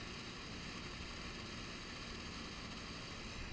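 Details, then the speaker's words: SIG Kadet LT-40 RC plane glow engine, freshly fueled, idle adjusted by ear before first flight: faint, steady even-pitched buzz with no stumbling or surging; idling smoothly. "I'm changing the idle just based on sound."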